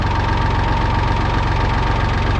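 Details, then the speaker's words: 1966 David Brown 880 Selectamatic tractor diesel idling with a smooth, healthy hum from its rebuilt Dowty hydraulic pump, about 125 hours after the rebuild with no issues. "we've got about 125 more hours on it and you can hear it kind of humming away here as we pan down and we haven't had any issues with it"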